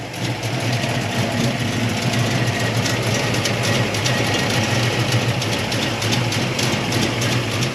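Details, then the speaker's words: 1972 Chevy Malibu Chevelle SS tribute, 350 V8 with mild cam, after new Holley carburetor (previous one too big), tune-up and electric choke: deep steady idle with slight cam lope, smooth and even, no misses; idle previously slightly off. "it runs real good now it ran well before but the idle was off a little bit now it's idling really good"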